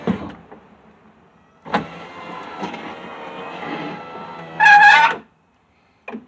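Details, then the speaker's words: Subaru driver's power window, previously crash-damaged door, after moving the glass back outside its guide rail: motor runs, then a sharp squeak rises as glass travels, rough near the bottom; rail is dry and needs grease. "squeaky or a little yeah let's see where it stops okay gets a little rough there when it gets down to the bottom because that needs to be greased"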